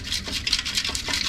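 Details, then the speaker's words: Mk2 Ford Fiesta old exhaust silencer, removed and shaken by hand: bursts of tinny rattling from loose baffles broken free inside the can, making the car louder; replaced with a new two-piece system. "So yeah, and also just want to try and show you guys something, but this is the baffles and you can hear them."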